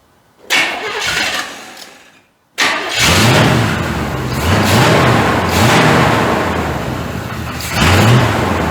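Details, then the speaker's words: 1985 Chevrolet C30 gas-swapped engine after idle mixture screws adjusted and plug wires moved: crank and catch, then a lumpy idle surging and sagging about every second, smoking, after idling and revving well before; rough idle, cause unknown. "We went from idling really, really good, revving up really, really good, to it won't idle."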